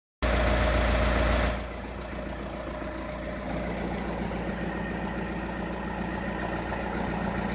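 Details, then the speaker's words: 2013 VW Passat TDI (CKRA) with 9,500 miles at idle: faint light tick about four times a second; owner is certain it is a lifter. "slight tick. Car has 9,500 miles. Definitely a lifter. No question about it."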